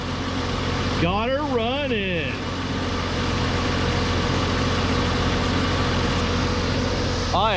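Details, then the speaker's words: 1991 Jeep Cherokee Briarwood first start after sitting several years, following new fuel tank, pump, filter and about 1.5 gallons of fresh gas: tries to start then settles into steady, even low idle, no knocks or misses; normal idle. "oh she's trying to start [Music] oh boy oh boy heck yeah baby"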